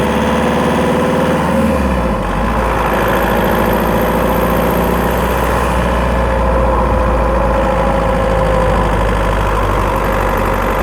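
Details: Skoda Octavia 1.9 TDI PD, microphone in battery box while driving: under load the diesel clatter carries a fast, light tick with a faint chirp, mainly when accelerating; ticking chirping noise, source not pinned down.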